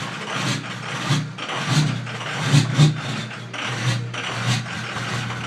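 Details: 2005 Ford F250 6.0 Powerstroke diesel, 150k miles: idle surges and stumbles unevenly about twice a second; rough idle from a failing fuel injection control module reading 20V or lower instead of the normal 48V.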